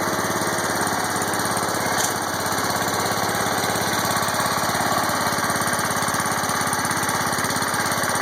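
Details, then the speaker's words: John Deere 140 hydrostatic tractor, warm after 15 minutes idling, in neutral, after hydro cam/linkage adjustment and check-valve fix to stop creep: even, steady single-cylinder putter, no knocks, squeals or grinding; normal idle. "So far so good. It's in neutral. No funny noises. That's always a good thing."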